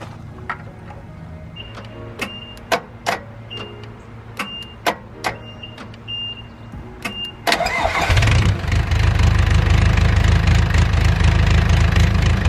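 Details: Mustang skid steer diesel after one injector cleaned and reinstalled, line bled of air: clicks, then catches into a lumpy uneven idle with irregular knocking, still running rough.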